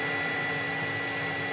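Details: 2009 Dodge Avenger 2.4, code P2441 AIR pump switch valve stuck closed: steady electric whir with a thin constant tone, no pitch change; secondary air pump commanded on via scan tool, blocked by stuck-shut check valve.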